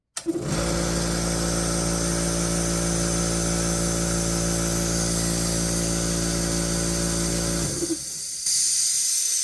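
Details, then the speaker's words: Old DeWalt air compressor running after its first oil change in over 15 years, with the bottom port open: even, steady drone with a smooth pump beat and no knocking or rattling before it stops; runs healthy. "seems to be running really good"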